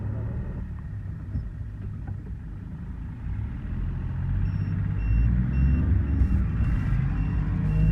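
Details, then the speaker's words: Mahindra Bolero diesel on road test after injector replacement and injector coding, previously vibrating and knocking: steady low diesel drone under road noise, no knocking or shudder, pulling smoothly; customer says problem fixed, normal running. "Customer का कहना है की गाड़ी की जो problem थी वह ठीक हो चुकी है हमने इसके इंजेक्टर चेंज किए द उसके बाद इंजेक्टर कोडिंग की थी अब गाड़ी फर्स्ट क्लास हो गई है"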